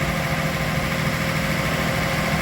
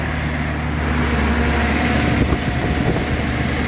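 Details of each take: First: Datsun 280ZX, unserviced for 20 years and dry stored, first start warming up before the thermostat opens: steady idle with a light, quick tick riding over it; likely one hydraulic lifter ticking. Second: Datsun/Nissan 280ZX, dry stored and unserviced for 20 years, first start after fuel added: steady, even idle with a smooth low hum and no misses or stumbles. Normal idle.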